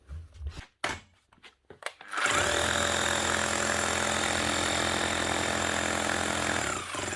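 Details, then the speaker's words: Makita HR3000C SDS hammer drill from 2000, sparking overheated motor, previously no hammer: spins up to strong steady hammering roar; hammer mechanism works fine, only motor needs replacing. "all right that sounds and feels quite good actually is definitely hammering hammering quite well"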